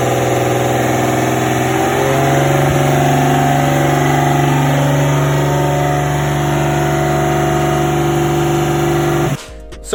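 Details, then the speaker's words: Rebuilt RB25 engine with forged internals, 500+ hp build, cold first start on a low battery: loud, rough note with a high idle creeping even higher; cause unclear, owner hopes it is a minor setup issue. "you did hear it it was idling really high and then it just got even higher as it was idling"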